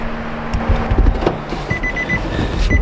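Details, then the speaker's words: Nissan Juke fresh from auction with seat belt and TPMS lights on, door open: repeated short high-pitched dings at an even pace over handling noise; normal door-open warning chime. "let me shut the door and quit the Dinger going on"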